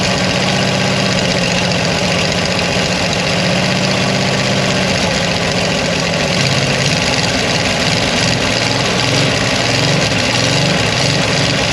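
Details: 1975 Dodge motorhome 360 LA Mopar V8, abandoned about 25 years and previously locked up, kept running by pouring fuel from a bottle: loud, ragged idle that surges and stumbles, struggling to stay running; rough idle, cause unknown.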